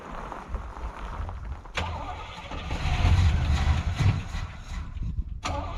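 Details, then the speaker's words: Squarebody Chevrolet C20 truck after sitting for years, started on poured-in fuel: it catches in uneven sputtering bursts with sharp pops, never settling to idle; owner suspects its tank fuel is too low to reach the pickup tube. "well i at least got it to run long enough to move it but i'm gonna fire it up again back it up a little more and see if i can get it to pick up fuel from its own tank i think it's a little low so it's not actually getting fuel to the pickup tube"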